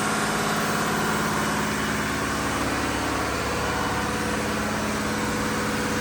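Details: Diesel fire pump engine on weekly half-hour test, isolation valve closed, with a steady, even drone and constant low hum, no knocks or misses; running normally.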